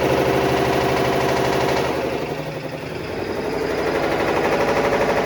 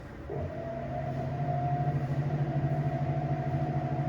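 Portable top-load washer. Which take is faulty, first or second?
first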